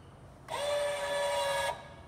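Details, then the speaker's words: Lippert Ground Control aftermarket auto-leveling system on a 2017 Windjammer 3029W travel trailer during side-to-side leveling: steady, even electric motor hum for about a second at constant pitch, then a clean stop; normal leveling jack motor operation. "And you can hear the motor."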